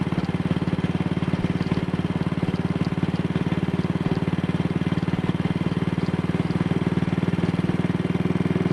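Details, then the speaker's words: Single-cylinder motorcycle with Wassell Evolution (Amal Concentric Mk 1 type) carburettor, after a twisted, dislodged needle clip was refitted: steady, even thump at about 45–50 mph indicated with no jerks or pops, which it had the day before. Running normally. "Well, this would have been accompanied by all sorts of jerks and pops yesterday, so I'm quite happy about this."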